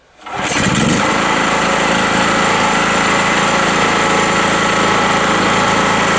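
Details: Rotakt generator, already hot so restarted without choke, with an 1800 W Bosch electric chainsaw plugged in through an extension cord: fires within a second and settles into a steady, even governed drone with no misses or knocks, running normally.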